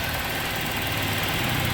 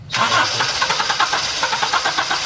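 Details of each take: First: 2003 Toyota Kijang Kapsul injection after tune-up and foam intake cleaning, long crank then idle: even idle with busy, hissy rattle, no knocks or misses; exhaust smoke from leftover foam expected to clear. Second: 2003 Kijang Kapsul during a tune-up: after foam cleaner soaked the combustion chambers about 15 minutes and plugs were cleaned and refitted, the starter churns in steady pulses for a long crank, due to leftover foam.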